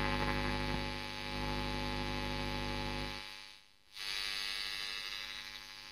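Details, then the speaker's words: Marshall Kerry King signature valve amp (audio boosted): constant low buzzing hum with thin hiss, dipping briefly then returning; noise located in the preamp and affected by the tone stack, exact cause still being investigated. "um but the noise is definitely in the preamp well at least the noise that I'm experiencing so anyway we'll take that out and yeah the the tone stack definitely affects it"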